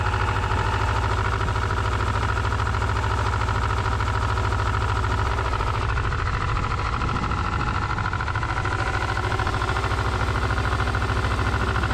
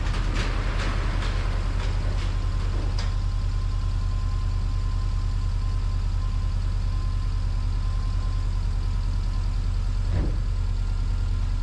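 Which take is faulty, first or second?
first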